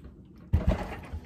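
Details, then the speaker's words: Vintage Homelite XL-12 chainsaw manual oiler after o-ring replacement and spring reinstalled: two firm, clean pump strokes with a dull thump each, no rattling or hissing; manual oiler pumping normally. "so that's usually all there is to fixing the manual oiler on these just a simple o-ring replacement"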